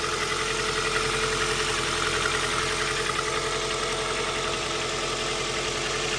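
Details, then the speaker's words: Engine started after intake manifold gasket and IAC valve replacement and oil change: steady, even warm-up idle running on all four cylinders, no misses. "Running on all four. Nice warm-up idle. Check out Check it out. Sounds good."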